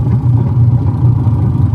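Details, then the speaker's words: 10-year-old washing machine, noisy from a broken gear, after an overhaul that replaced the gearbox. It gives a low, even motor hum with a steady pulse and no grinding or rattle; the earlier rattle is gone. "automatic idle yan oh okay Ayos na Nawala na yung garalgal garalgal ba"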